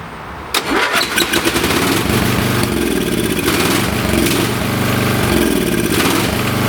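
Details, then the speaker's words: Late-1980s/1990s lawn tractor on choke after carb cleaner was sprayed into the carburetor: engine catches, then runs unevenly with a surging, stumbling beat; rough running from a plugged, gummed-up carburetor starving it of fuel. "okay the good thing here is I know it's going to run the bad thing is the carburetor is plugged"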